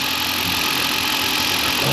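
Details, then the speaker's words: Newly installed engine at first idle after cam/crank relearn, cold and warming, belts off, no coolant but oil filled, a little smoke expected; steady even idle with hissy top end, no knocks or misses; normal. "That's to be expected. Just running."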